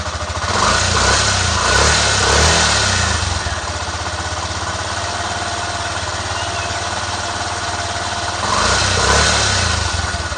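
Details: Honda XRM 125 motorcycle after converting to a YTX125 piston and piston rings, with the fuel tank cleaned of stale gasoline and rust; kick-primed, then started on the ignition: brief revs settling to a steady, even idle with no knocks or misses, normal.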